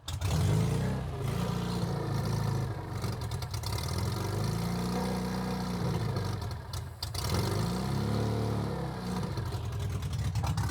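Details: Metro 1275 A+ manual engine newly installed in a classic Mini, first run with choke and accelerator not connected; oil pressure light goes out instantly. Loud, raspy engine with quick rev blips rising and falling cleanly back to a steady idle; healthy.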